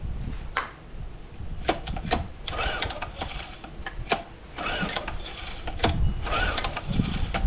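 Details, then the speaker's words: Older Honda outboard, probably sat a while, fuel pumped via Johnson connector and start fluid sprayed up the airbox: uneven cranking bursts with brief sputtering catches that die; hard starting, carb then removed, poor fuel delivery suspected. "I'm going to cheat a little bit, shoot a little start fluid up the airbox."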